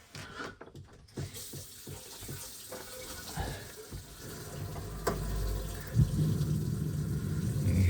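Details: Gen II RV tankless water heater being test-installed in a vintage Airstream: water rushes when the sink hot tap opens, then a low, steady roar builds and holds as the burner fires. The heater is running normally.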